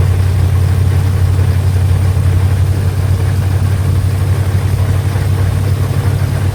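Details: Mustang 5.0 V8 with an owner-built carburetor, air cleaner off and a vacuum gauge below the base plate: deep burble with a slightly uneven lope at idle. The carburetor still seems off and wants its idle mixture set.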